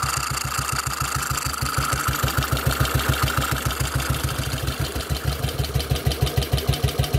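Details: Model 8 motorcycle engine, recorded cold then hot, running steadily with a firm, slightly ragged low thump about three times a second; knock worse at 40 mph and above, cause unexplained.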